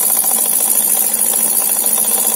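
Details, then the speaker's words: Mamod SL1 toy steam engine after mechanical refurbishment, pressure up to 15: fast, even chuffing under a steady steam hiss with no stumbles and no audible leaks; runs sweetly. "if i close the valve i can't hear anything leaking whatsoever doesn't mean to say that it isn't but she sounds good"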